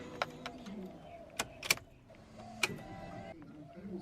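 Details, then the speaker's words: Honda Prelude door with a failed power window regulator: each press of the switch brings a faint motor whir and a few sharp clicks, but the glass never moves. "and now if i go up all down the window regulator makes noise you can hear that but the window doesn't work"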